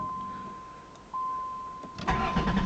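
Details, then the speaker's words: 1990 Chrysler Town & Country losing spark despite plenty of fuel, salvage 1989 Caravan PCM fitted, owner suspects PCM: starter whirs steadily, engine turns over but struggles to fire; crank no start. "and it's definitely it's got plenty of gas all that's fine it's just lose a spark"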